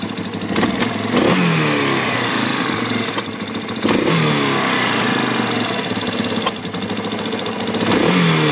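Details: Yamaha Warrior 350 single-cylinder engine idling, with sharp pops that sound like backfiring into the intake boot each time the throttle is opened; cause unknown.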